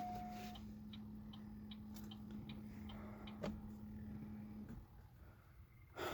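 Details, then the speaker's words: 2006 Chevy Cobalt 2.2L four-cylinder, auction no-crank no-start with no ECM or BCM communication, new battery fitted: faint steady hum with a regular light tick about 2.5 per second at key-on; no start follows. "2006 Chevy Cobalt with the 2.2 liter four-banger I got at the auction as a no start vehicle and this is what I get when I turn the key to on"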